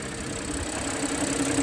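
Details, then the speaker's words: Audi A6 V6, about one month after purchase, steady idle with a light, quick ticking over the engine note that the owner thinks may grow louder when warm; cause unclear, possibly the timing chain, unconfirmed. "我这个是V6的机子，我给大家听一下打火的时候，就是低速怠速行驶的时候有一点哒哒哒的声音啊。"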